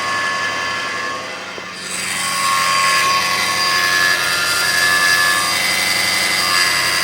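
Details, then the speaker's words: 2005 Kia Sedona 3.5L, 116,000 miles, after new timing belt, tensioners, idler, water pump and harmonic balancer, no accessory belts: hissy rush with thin whine appears after about a minute of warm high idle, fades with revs then returns; cause unknown. "So it goes away when you bring the RPMs up, but then it comes right back."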